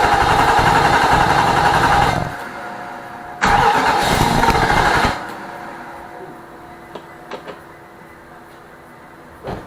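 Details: 2006 Nissan Armada 5.6 V8 after an engine swap, cold: two bursts of steady starter cranking, about two seconds each, and the engine never catches. Fuel pressure is present; a bad crankshaft position sensor is suspected as the cause of the no-start.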